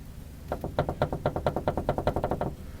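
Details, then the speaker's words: Lada (Zhiguli) on a jack and stand with the front right wheel off: the front bumper, loose in its mounting, gives about a dozen quick hollow knocks as it is rocked, the same knock heard while driving. "это бампер вот болтается в креплении в своём сейчас покажу вот эта штука вот качаю и она стучит"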